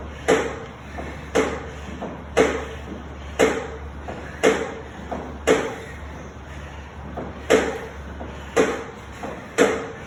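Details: NordicTrack SE7i elliptical: a sharp click about once a second, keeping time with the stride over a quiet room; something clicking on each cycle.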